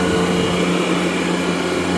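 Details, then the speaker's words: Gardner Denver Electra Screw rotary screw compressor (EBE99K), 24,873 hours, freshly serviced, building pressure and coming up to temperature after start-up at 57° ambient; steady even hum, constant low tone, smooth airflow hiss, no knocks or rattles; normal running. "Very nice, quiet unit. See, the unit is building pressure. Coming up to temperature as well."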